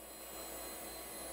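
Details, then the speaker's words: AST Adventure 200 barn-find computer at power-on while booting Windows 95: even, loud whooshing whir with a thin high whine and no pauses; the hard drive is unusually noisy. "Listen to that hard drive go. It's quite a noisy one."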